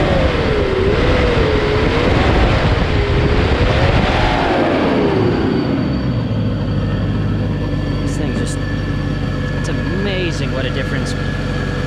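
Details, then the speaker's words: Restored 1997 Land Rover Discovery, started and heard outside after a full rebuild: loud clip with a wavering whine early, then a steady, even low engine hum settling down, smooth and knock-free; quiet and smooth. "so fire it up and we'll hear it outside I just can't get over how quiet and smooth it"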